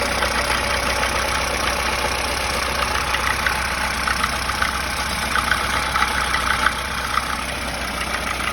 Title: СТУЧИТ ДВИГАТЕЛЬ ВАЗ 2107